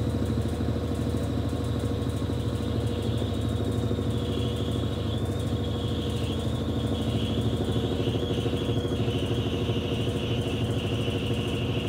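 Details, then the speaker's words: 1993 Brastemp Mondial Rotativa washer in the spin cycle: a steady deep rumble with a faint wavering hiss. The owner attributes it to the new shaft seal (retentor) and says it is normal and should fade with time. "esse barulho esse em que vocês ajudando é o retentor é normal com o tempo esse barulho ele vai parar porque como a mecânica dela é norma retentor é novo"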